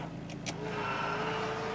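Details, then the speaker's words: 1995 Isuzu Bighorn turbo diesel 4WD automatic, higher trim: power folding mirror motor gives a short, steady, even whir with no grinding or clicking as the mirror folds; works fine. "You have power folding mirrors that work fine there."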